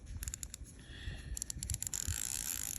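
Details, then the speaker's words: Tsurinoya Spirit Fox 50R baitcasting reel, 5.6:1 gear ratio, new out of box: quick, bright, evenly spaced loud drag clicks as line pulls out; normal, healthy drag clicker. "you can hear the drag clicker. It looks really nice."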